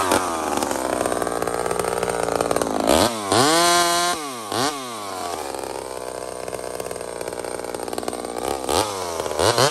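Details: Homelite chainsaw, 28 full-house stock chain: bogs slightly in the wood, revs crisply to a high even wail between cuts, then settles back; healthy running and cutting.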